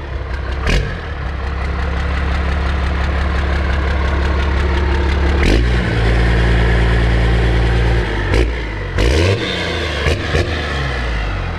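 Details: First-gen Dodge 12-valve Cummins diesel, 4-inch stainless exhaust; deep, loud, even rumble with a couple of quick throttle blips and a steady beat. Normal idle.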